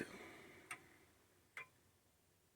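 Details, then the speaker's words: Old grandfather clock during setup, pendulum has stopped a few times when not level: ticks at uneven spacing, one gap noticeably shorter than the next, so the clock is out of beat and needs levelling or beat adjustment. "so if it's tick tock tick tock tick tock then that's out of beat and it sounds like mine might be a little bit out of"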